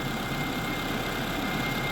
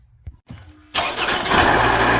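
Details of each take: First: 2009 Toyota RAV4 after replacing a noisy, coolant-leaking water pump and the tensioner, idling to warm up while the cooling system bleeds: smooth, even idle hum with no ticking, squeal or grinding; noise fixed. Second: Toyota RAV4 with likely original water pump now spitting coolant: engine catches, then idles with rough whirring rhythmic rattle up top; water pump noise, to be fixed by replacing water pump, belt and tensioner.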